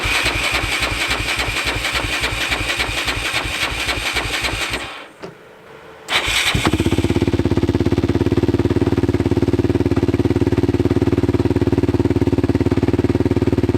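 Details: Single-cylinder quad, either the Yamaha Raptor 660 or the 1999 Arctic Cat 300, idles with uneven, loping beats, stalls briefly, restarts roughly and smokes slightly. Rough running; timing issue suspected.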